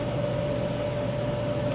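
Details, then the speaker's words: Dell server power supply reassembled after DC ground isolation work, powered up; steady whir with a constant mid-pitched tone and no ticking or rattle; fan running normally, output about 12.5 V. "the Fan's fairly Lo noisy so you'll hear it right away if she's working fans's on"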